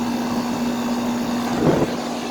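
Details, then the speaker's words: 1999 Carrier 38CKC 4-ton air conditioner running: steady low hum with a rough, strained drone and a brief surge; the compressor sounds loud, labouring and possibly overheating, though the unit cools well. Cause not confirmed. "man that compressor sounds like it's overheating it's putting off the heat load yeah that compressor sounds like it's really exhausted"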